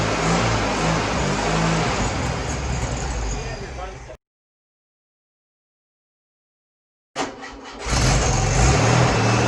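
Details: Freshly rebuilt VW 1641cc dual-port flat-four, new pistons and rings, reconditioned head, redone carburetor, first start: smooth even run, revs cleanly, no ticks, taps, knocks or smoke; healthy, only fuel pump bad.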